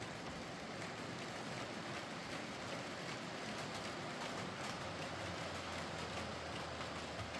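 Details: Heljan Class 23 model loco after split gears replaced with 3D-printed ones: soft steady motor and gear whir, no knocking or catching; runs nicely, slight growl suspected from motor mounting or drive shafts.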